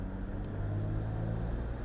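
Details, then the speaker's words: Audi Q7 cruising after the Lamborghini Urus exhaust was replaced by a custom two-in-one center section and the original rear section: low, even note with no rasp, boom or rattle. The exhaust is as quiet as intended and sounds healthy. "the conclusion to our problem solving on this Audi Q7 and right away it is as quiet as this thing was intended by the"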